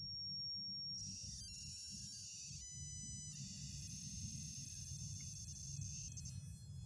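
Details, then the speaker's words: Homemade 0-50 V 5 A buck-boost converter from recycled ATX parts, output current turned down under current limiting: high thin whistle stepping in pitch over a low hum; normal coil whine, audible below about 12-13 kHz switching. "Quiero que escuchen cómo cambia el sonido, ese chirrío insoportable. cuando activo regulación de corriente, en este caso, ahora bajo la corriente de salida y empiezo a hacer esto."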